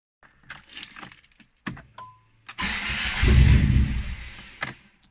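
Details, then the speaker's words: 2007 Fiat Panda 1.1 (169) first start after engine replacement: key jingle, short crank, engine catches quickly and settles into a smooth steady run before switching off; sounds wonderful, runs sweet. "Sounds wonderful. So that's it now. It started, it runs sweet."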